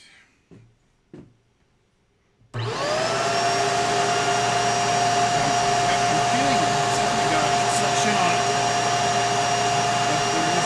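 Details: Bissell 3374 Pet Hair Eraser Turbo Lift-Off upright vacuum: steady high motor whine with smooth airflow but no brush thrum; brush roll not turning. Belt found spinning fine, and the owner suspects a wrong setting such as the wand release.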